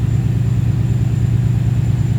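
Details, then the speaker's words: Ford Capri with Mercedes M113 5.0 V8 swap, first run on newly converted MaxxECU with random throttle and fuelling: deep, lumpy, uneven idle lacking crispness; owner says ignition timing is not right. "So something's definitely not right on timing wise here, because she's definitely happiest. Yeah, that's not right."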